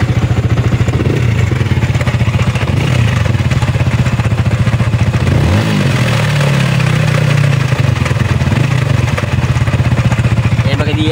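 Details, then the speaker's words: Sniper 155 VVA scooter engine idling with a rapid, loose tapping from the cylinder head, confirmed as a worn exhaust rocker arm and cam bearing, suspected low oil supply; timing chain and tensioner possibly also to be replaced. "So tama 'yung hinala natin sa kaniang rocker arm sa exhaust at sa kanyang cam bearing."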